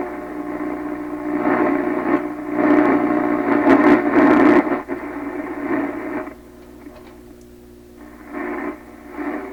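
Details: 1928 RCA Victor Model 28V radio after grounding the cathode resistor circuit: clean station audio at low volume without crackle, garble or dropouts. The garble fault is fixed, though hum later returns.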